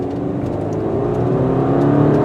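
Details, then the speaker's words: 2019 Subaru Forester with CVT transmission, floored: engine holds one steady droning pitch while the car gathers speed, like an outboard motor; normal CVT drone under acceleration. "hear that droning, called the CVT drone. It sounds like an outboard motor."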